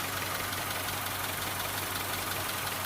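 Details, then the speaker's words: 1998 Honda Civic EX after an oil change, at idle: fast, fairly even light clatter about three ticks a second over the engine hum; owner suspects valves needing adjustment. "You can still hear the clattering even after the oil change. Probably a valve adjustment, but that will be done at some point soon anyway."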